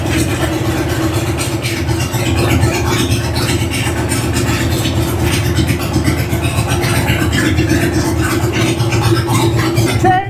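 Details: 2000 Harley-Davidson Sportster 1200 Evo, carbureted, revived after sitting 10 years with cleaned tank and reinstalled carb, before its first ride: steady V-twin idle with a loose, even lope, no knocks or rattles; normal idle.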